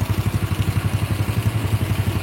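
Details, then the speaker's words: Honda Grand 100 cc single-cylinder motorcycle, engine reassembled, bike won't rev high, CDI being tested; even steady idle thump with no knocks or rattles, only a faint whine normal for an old engine. "Oke ini mesinnya sudah Kita rakit dan suaranya sudah cukup halus ya teman-teman"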